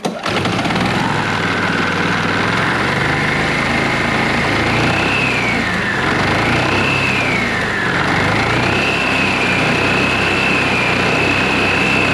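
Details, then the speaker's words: Yamaha TurfMate golf cart engine after carb cleaning and fresh gas: starts instantly, fast buzzy run, speed dips briefly twice then recovers; otherwise clean, even running. "Okay, that was all with no choke. Let's see if it runs a little bit quicker with choke."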